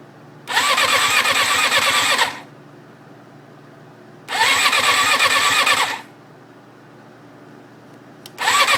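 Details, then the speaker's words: 1994 Suzuki RF600 after full engine rebuild, fuel fed from a reservoir, clutch engaged: three ~2-second bursts of steady starter cranking, no firing; has spark, fuel pump works, owner unsure why; cranks but won't start. "i don't know what exactly is going on as far as the sound it goes like uh it sounds like it's not getting gas but it's clearly sucking up gas"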